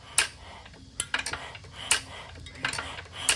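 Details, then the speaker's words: Igniter-fired hit-and-miss engine with a red LED and 120 ohm resistor wired between the igniter terminal and ground as a timing indicator, two trips per two magneto turns: crisp metallic snaps every half to three-quarters of a second; the igniter trips normally. "But the main thing is, when you hear that trip on the igniter, you see that flash."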